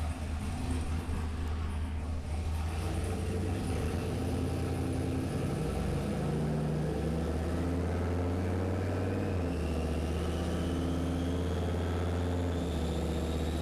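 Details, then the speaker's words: LS turbo-swapped Ford Ranger on a dyno, third-gear pull after a second-gear pull upset the dyno; heavy V8 drone climbing with a rising turbo whistle, stumbling and dropping out in patches. It cuts out under load; fueling suspected, and running out of turbo at high rpm also suspected. "so you can hear it cutting out the fueling is not right something's not right"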